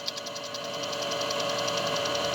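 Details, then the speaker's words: Golden LTC10 washing machine with new sealed (blindada) mechanism: fast scratching tick, about ten a second, over motor hum during spin; new part arrived with a bent brake band (cinta) causing the noise, which stops when pulled aside. "porque eu tive que desmontar máquina toda aqui entendeu e é a cinta de frio torta aqui tá fazendo esse barulho todo"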